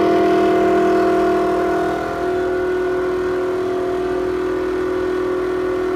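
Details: Toshiba restroom exhaust fan in a restaurant: loud, steady mid-pitched drone with a hard tonal edge, abnormal noise audible out in the hallway.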